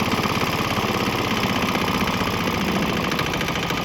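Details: Swan X 165F Chinese single-cylinder diesel on 50-50 used motor oil and diesel: even, crisp regular chug with no misses or knocks after earlier bucking and stumbling cleared on the transition; normal running.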